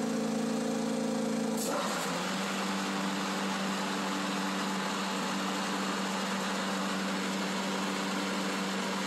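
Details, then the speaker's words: John Deere Z335E residential zero-turn mower, deck lowered and engaged after idling: sudden rush then persistent droning whine under the blades; something in the deck drive, an idler or similar, is suspected but unconfirmed. "It's definitely making some noise. There's either an idler or something."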